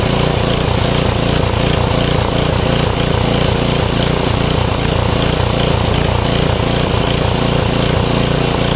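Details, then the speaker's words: 5 HP Briggs & Stratton on an MTD rototiller, after quick carb cleaning: engine speed hunts up and down about twice a second, smoothing slightly with a little choke; owner suspects the carburetor and wants it taken apart. Much better than before, when it wouldn't run. "It's a lot better now than it was cuz it wouldn't even run."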